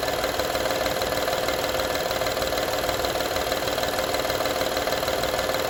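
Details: 2012 Honda Odyssey engine at steady idle: fast, fairly even light rattle, roughly three per second, as if something loose; engine rattle at idle, source not yet pinned down.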